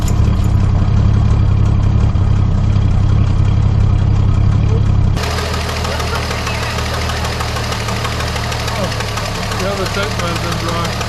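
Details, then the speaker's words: Barn-find 1973 Dodge Dart Swinger, 225 slant six, first start in 29 years after freeing a locked engine, new battery, cleaned plugs, gas squirted in intake: deep, throbbing low rumble that settles and evens out; running properly. "is now wow sounds really good that's awesome [Applause] all right so it runs"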